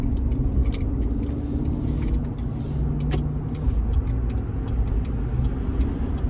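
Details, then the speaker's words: 2014 Chevrolet Silverado, 147,000 miles, with prior transmission shudder after trailer towing, tested after attempted fix: highway acceleration to 85 with engine and road rumble climbing evenly, no pulsing shudder, smooth shifting all the way up. "now is when I should have heard it. Wow. I'm at 85. Smooth shifted all the way up to 85."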